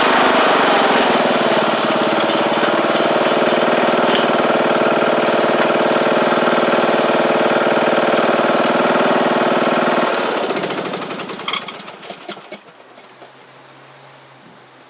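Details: John Deere D110 riding mower with a newly installed engine, during its test run at almost 400 hours on the meter: the small single-cylinder runs evenly at a steady buzzing speed, then shuts off cleanly with no misses or knocking.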